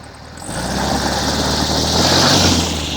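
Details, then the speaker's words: Air-cooled VW in the last stages of choke: revs rise cleanly, then it drops back to an uneven, lumpy, stumbling idle that keeps crashing. Rough idle from a vacuum leak at the intake manifold boots, confirmed with starter fluid. "This thing accelerates just fine, right? But when it returns down to idle, it's going to stumble and have some issues."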